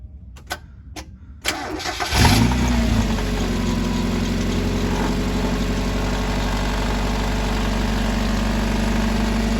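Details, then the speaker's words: 1990 Mazda Miata with fluctuating high idle, idle air control valve unplugged: several slow separate cranking clicks before the engine catches into a steady idle; weak starter needing replacement. "We definitely going to need a starter on this vehicle as well, as you can tell by how many times it took to start it up."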